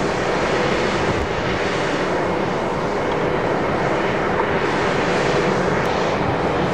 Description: Little Raith Wind Farm (9x410ft Turbines), noise pollution recorded from one of the turbines. All 9 turbines are producing a range of noise, but this particular turbine is noisier than the rest.